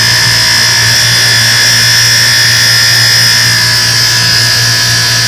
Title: Moffat dishwasher buzzing noise